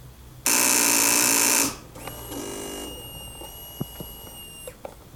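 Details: 2006 Kawasaki ZX6R won't start after winter storage and reinstalling the battery: FI light on, EXUP seems to self-test; harsh electric buzz about a second, then faint steady whine and scattered clicks, cause unclear; buzzing with no-start.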